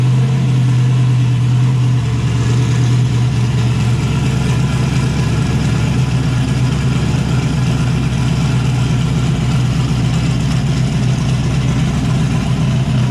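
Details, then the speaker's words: Chevy S10 (Zodiac) with a new turbo setup, after parts on the driver's side were cleaned with carburetor cleaner so it no longer runs on five cylinders: a deep, steady idle with the cam audible and no stumbles. All cylinders firing. "here you can hear the cam a lot better since it's not maybe well since it's not running on just five cylinders"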